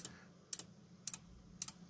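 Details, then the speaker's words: Sylvania SmartPlug torn down on the bench: relay chatters with sharp double clicks about every half second when probing voltages around the 3.3 V regulator; likely unstable supply. "oh that's not what I expected you hear that the relay is just clicking away here"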